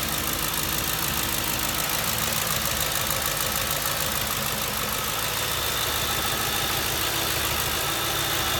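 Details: 2007 Ford Crown Victoria at steady idle: an uneven, stumbling beat about three times a second under a hissy top end, pointing to an engine misfire.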